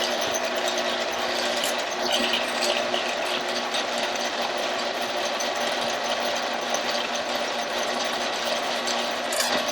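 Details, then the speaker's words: 1948 Kwik Way boring bar boring a motorcycle cylinder: steady machine hum with a faint, light scraping hiss. The cutter is just barely touching the wall about an inch down, suggesting the cylinder is slightly out of round. "I could hear that the putti trope is just barely making contact now with the cylinder wall and it's about an inch Bobby"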